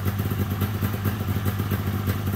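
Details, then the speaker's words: 1997 Polaris XCR 440 liquid-cooled two-stroke twin snowmobile, primed with premix down the plug holes and running on premix, with weak spark. Even, rapid low burble with no misfire or rattle; it idles cleanly. "it's idling it sounds good I am running pre-mixing it right now"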